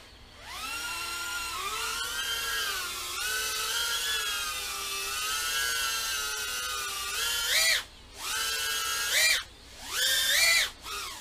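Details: Test flight of a freshly repaired FPV quad (camera swapped to RunCam Nano 2): a clean motor whine sweeps smoothly with throttle, with brief cutoffs and no rasp or stutter. The motors run smoothly and healthily.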